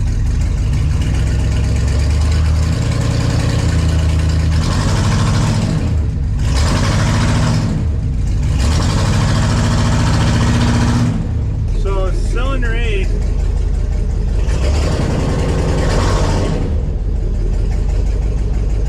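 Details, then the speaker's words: 1954 Chevy rat rod with LS V8 swap, revved against the brake while parked: loud bursts with uneven popping beat as cylinders miss; heavy misfire on cylinders 7 and 8 under load, cause unknown, owner plans new plugs and wires. "rate is still popping under load I'm not sure why I think I need to take it for a drive and really see what's going on"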